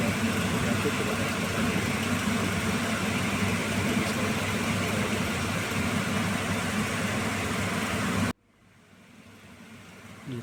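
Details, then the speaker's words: Packaged AC unit after replacing the belt that caused noise: steady even hum with no slapping or squeal for about eight seconds before shutting off; running smoothly. "मैं felt के replace करते ही बिल्कुल machine हमारी smooth चल रही है"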